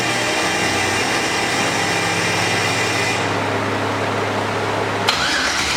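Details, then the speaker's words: Mazda RX-7 with twin-turbo Gen 3 5.3 V8 (stock pistons/rods, 243 heads, mild cam), first start in 2 years: fires, then fast idle near 1000 rpm surging up and down instead of target 850; owner suspects faulty wideband O2 sensor. "for some reason the wideband o2 sensor is acting crazy and it's messing up with the idle so right now I want it to idle it at 8:50 and it's idling it like a thousand rpm and it's like surging up and down"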